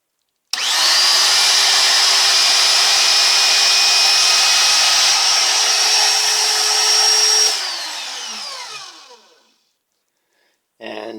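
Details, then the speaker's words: Generic 300–360 W ER11 spindle, not mounted and considered for a ShapeOko CNC, runs from low to high speed with a steady high-pitched whine and then spins down smoothly; much quieter than a DeWalt DW660 router; normal running. "excuse me the chinese spindle starting from low speed to high wow so obviously the chinese spindle is much much quieter"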